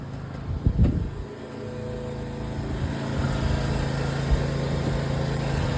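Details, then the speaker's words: 1995 31-foot Silverton yacht, starboard Mercruiser engine under rebuild, cranked from below: brief cranking bursts, then catches and settles to a steady low drone; starts hard, throttle must be fully depressed, owner suspects fuel-air mixture needs more fuel-system adjustment. "I think I still got a few more adjustments to do with the fuel system, because I have to pretty much depress the throttle completely to crank it up."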